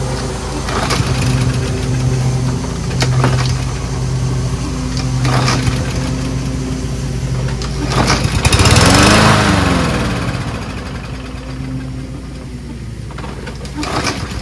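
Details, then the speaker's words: Toro Personal Pace RWD self-propelled mower, small single-cylinder engine chugging unevenly, pace wandering and surging; hard to start (three or four pulls). Owner suspects a loose carburetor-to-intake O-ring letting in extra air, or a fouled spark plug; unconfirmed. "I'll show you what it sounds like right now it takes about three or four four pulls to start"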